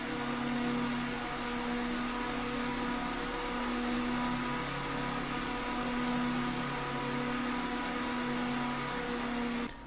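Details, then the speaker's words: Corsair RS120 ARGB PWM case fan in a Frame 4000D, rated about 2200 rpm maximum, set to about 99%: steady high airflow rush with a constant low hum, even throughout; normal fan at full speed. "And now we'll take it all the way up to pretty much 100%. It'll be 99 because it's hard to actually get it to go that. And you can hear it already."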